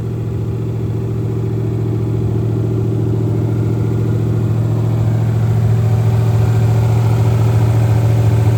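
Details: Monte Carlo SS V8 after engine rebuild, first fire-up, stock cam, about 300 hp, in neutral; deep even idle rumble rising smoothly as revs climb, no ticks or misses; healthy normal idle.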